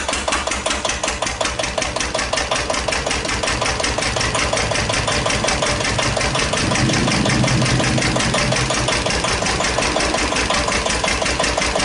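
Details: 1941 Witte CD 12 hp single-cylinder diesel 8000 W generator set, just started after long storage, warming up, no load: even thump about 167 beats/min, idling slightly high; owner suspects fuel pumps sucking air.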